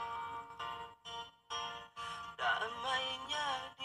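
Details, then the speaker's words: Redmi 4A after replacing the UI/charging board, music playback through the speaker: clear and even, no rattle, crackle or buzz on louder notes; the buzzer no longer distorts, only the earpiece still faulty; normal speaker playback. "Kalau kita dengarkan dari sini, dari musik suaranya sudah normal, suaranya sudah normal, tidak ada masalah."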